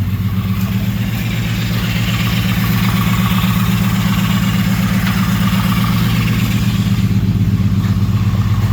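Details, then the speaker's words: Freshly swapped Ecotec engine, retry after rearranging plug wires: lumpy uneven beat with a regular stumble throughout; still misfiring, cylinders 2 and 4 not firing (cold exhaust manifold). "I'm still down a couple cylinders by the sounds of it. Alright, cool. So, So we definitely got a misfire."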